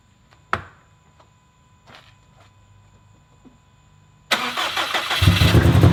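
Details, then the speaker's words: Customer's rebuilt 2017 Subaru STI on first start after engine swap, fuel system build and base map, oil primed, no coolant yet: scattered cranking clicks, then it catches loudly for a couple of seconds with rising roar and dies; fuel pressure was reading low. "hahaha so it fired didn't last very long died and uh then it sounds like it didn't want to do anything else"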